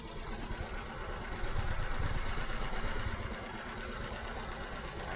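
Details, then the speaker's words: 2015 Nissan Note at idle, recorded at the tailpipe: low, lumpy idle with an uneven stumbling beat about three times a second and engine shaking; a misfire, not thought to be from the spark plugs; car also accelerates sluggishly. "That is a miss. No questions asked. that shaking."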